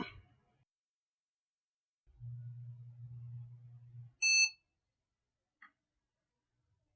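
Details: Retro eBay PC with Tulip TC40 motherboard, 8 MB RAM, after reconnecting a power connector: low power supply fan hum for two seconds, then one short clean POST beep and normal boot.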